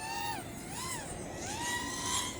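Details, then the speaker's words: 3Bhobby 1408 3200kv motors on a 4-inch quad, about two and a half minutes into a flight: motor whine swooping in pitch with a wavering buzz in the props; prop oscillation, suspected too-high P gain, not confirmed. "all right I'm at two and a half minutes it definitely needs a different tune from before I can hear more prop oscillations"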